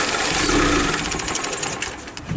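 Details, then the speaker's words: 2006 Hyundai Tucson, loss of power while driving, P0507 code, parts already replaced elsewhere, warming up: idle hunts and stumbles with uneven surging, dipping toward stalling; rough idle. "And then the vehicle starts to give you a rough idle."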